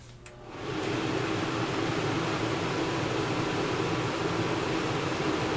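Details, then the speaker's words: RV with a Dometic single-zone digital thermostat, furnace on with the fan set to high: steady fan rush as the AC fan runs along with the furnace; setting the fan to auto shuts the AC fan off. "there you can hear the AC fan running along with that furnace set the fan to Otto and now that AC fan shutoff"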